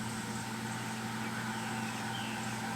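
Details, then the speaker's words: 3M MP220 pico projector at high brightness: constant airy whir with a faint steady tone from the cooling fan on high, loud enough to overpower the projector's audio. "The statue was, and as you can tell, the noise of the fan running on high grossly overpowers the audio."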